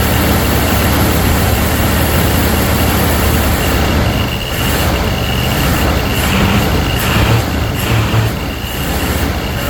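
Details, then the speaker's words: Ford Thunderbird Town Landau with a new fuel pump and rebuilt carburetor, first start: low, uneven V8 rumble that stumbles and lurches; misfiring because the coil wire was off. "Oh, the coil wire's off and it's running that way. That's probably why it's not running so hot."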